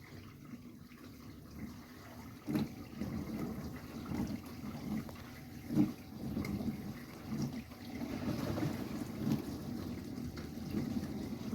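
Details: Whirlpool UK dishwasher WFC3C33PFXUK right after filling at the start of a cycle: deep tuba-like drone then machine-gun rattling bursts; only at the start, cleaning unaffected, cause unknown.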